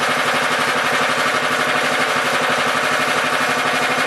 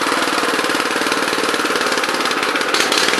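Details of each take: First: Honda FR600 5.5 hp tiller of unknown year, started on choke after sitting two and a half weeks: a steady single-cylinder putter, smooth with no misses, no oil burning. It bogs when tilling without half choke; the owner suspects the carburetor. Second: Honda FR600 5.5 hp tiller of unknown year, with the choke fully off: rough, uneven chugging with irregular stumbles at steady throttle. It sputters and dies unless half choke is used; owner suspects it needs cleaning or carburetor adjustment.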